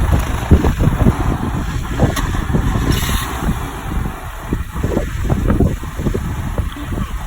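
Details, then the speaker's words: 1993/94 Rover 214 K-series, rescued from storage, battery flat that morning: low steady idle, even beat, no misses or knocks; sounds smooth and healthy. "And that sounds like a Happy K series. That sounds quite smooth, doesn't it?"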